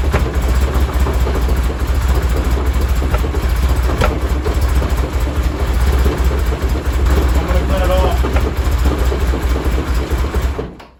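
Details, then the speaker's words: 1973 Porsche 911T air-cooled flat-six with points ignition, sitting since 1998, first running; stumbling, uneven beat with revs lifting and sagging under hand throttle; owner suspects timing or points gap off. "Woo! I shut that off real quick. But that girl came alive a little bit."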